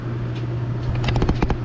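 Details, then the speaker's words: Dometic Brisk 2 rooftop RV air conditioner just after fitting an RV Airflow Systems ducting upgrade: steady low hum with light clicks of panel tabs, no rattles; quieter than before though not super quiet, strong airflow, running normally. "Not like, you know, super quiet, but it definitely is quieter."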